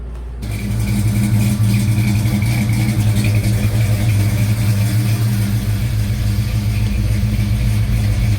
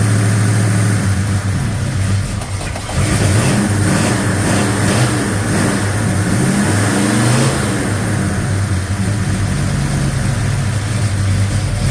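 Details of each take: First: 1956 Chevy Bel Air 307 V8 on its first runs after restoration: loud, quick valve-train clatter at idle like an old diesel; the AC clutch was free-spinning and the lifters were replaced first, but the cause was mismatched valve springs and retainers. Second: 1956 Chevy Bel Air 307 V8, after fixing loud diesel-like valve train noise caused by mismatched valve springs and retainers, running rich: steady even idle with low rumble and brief blip, no valve train ticking; quiet, normal.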